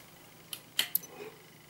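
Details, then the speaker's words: Samsung projection TV powering down after the high-voltage section was checked as working but with no picture; three sharp, dry crackles as the high voltage bleeds off, a normal discharge at power-off. "слушай слышно да хрустит как высокая пропа"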